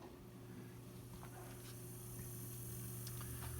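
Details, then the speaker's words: c.1915 GE Star oscillating fan motor, three-conductor head wire type, on bench via GE switch after repair; rotor shaft heavily worn. Started on high speed as advised. Low steady hum spins up smoothly with faint light ticks; runs normally. "and um always start these motors on high on high speed don't ever try to start them on low and let the motor there's just too much drag too much drag on the motor always start them off in high"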